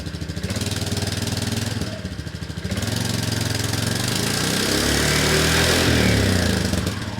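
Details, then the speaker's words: 1998 Yamaha Majesty scooter idling after new exhaust header, manifold gasket and muffler gasket: steady even putter with a smooth muffled exhaust note, no sharp cracking now that the muffler works. Healthy after repair. "actually got a muffler doing its job rather than cracking it all out here."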